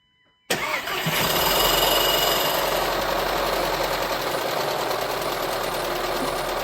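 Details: VW Touran 1.4 TSI, first start after engine rebuild: a steady chattering rattle over the fast idle, first suspected as timing chain but traced to the water pump idler pulley.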